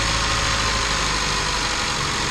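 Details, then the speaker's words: 2011 Chevy Cruze after repairing a massive vacuum leak: steady, even idle with smooth hum and no hiss, stumble or misfire; normal idle, may still need to level out after running poorly. "but it's definitely running good. That's not leaking no more."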